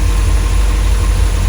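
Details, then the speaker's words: Lotus Elite back in life a decade after being laid up in a barn, with good oil pressure and charging. A steady, deep, smooth idle with no knocks or misses. "Wow, what a car. So a decade later, she bursts back into life."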